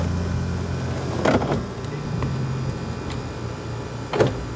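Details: Geely Emgrand EC7 power window operated before repair: motor hums steadily, then sharp clunks at the ends of travel, suggesting a worn regulator. Owner suspects the cable underneath and is replacing the motor/regulator; unconfirmed.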